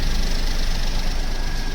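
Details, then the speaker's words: Maruti Wagon R automatic after clutch, clutch bearing and flywheel bearing replacement idles with a steady, even low rumble; the earlier kach-kach gearbox noise from the worn clutch bearing is gone. "देख सकते हो गाड़ी हो गई start और जो पहले आवाज थी वह बिल्कुल भी नहीं आ रही"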